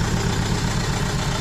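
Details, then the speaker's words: Renault Kangoo 1.5 dCi diesel, rebuilt engine running rough: lumpy, uneven idle with a dropped beat in the low thump. Unplugging the used salvage cylinder-one injector changes nothing, so it is dead; a bench-tested injector is to be fitted. "Вот, сняли фишку и ничего не происходит. То есть форсунка не работает."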